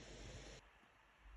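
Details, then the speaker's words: Lenovo V155 laptop after replacing its loud, howling cooling fan with a new non-original fan, running a CPU and GPU stress test at maximum load: soft, even airflow hiss with no whine or rattle, much quieter than before. "Подключили кулер. Вот так он работает при максимальной нагрузке."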